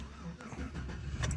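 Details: 5.3 V8 being prepared for VAT delete and ECM work: a short burst of low, steady idle with no knocks or misses and some handling clatter, sounding smooth and healthy.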